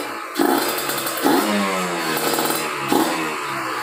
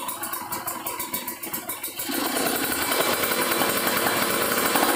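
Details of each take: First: Kawasaki Ninja RR two-stroke, PWK30 carb re-tuned after a ground wire install, unloaded on a stand: three crisp throttle blips snapping up and falling back cleanly to a steady idle with no stumble; revs freely. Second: Kawasaki Ninja RR two-stroke, PWK30 carb re-tuned after a ground wire install, revved unloaded: blips then a ragged, burbling high note that won't climb, limiting before 10,000 rpm where it earlier reached 12,000; owner suspects the still-cold engine, possibly running rich.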